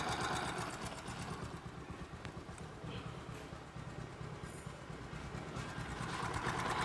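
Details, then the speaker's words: Old Bajaj Discover 125 single-cylinder bike at idle, valve, cam and rocker arm already replaced without curing the noise: light quick "chik chik" ticking over a steady idle; worn valve guides letting the valves chatter. "মানে একটা চিক চিক চিক চিক একটা sound আসতেছে, এই সাউন্ডের মূলত সমস্যা।"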